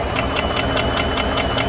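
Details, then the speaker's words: Cold 2015 GMC Sierra 5.3 V8 with P0300, P0304, P0172 and P0324 codes: sharp, even ticks about five a second over idle, loudest on the passenger bank. Valvetrain ticking from a bent cylinder 4 exhaust pushrod that had slipped off its rocker arm. "let's see if i can tell which side the engine noise is coming from it definitely sounds loudest from their passenger side"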